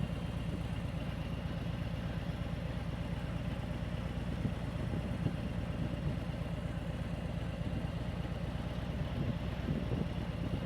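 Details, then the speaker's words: Motorcycle at walking pace with the clutch fully released and no throttle, after a chugging demo. A low, steady thump with no surging shows smooth running without chugging. "Now let's take it out. Clutch is wide open. No throttle. There's no chugging."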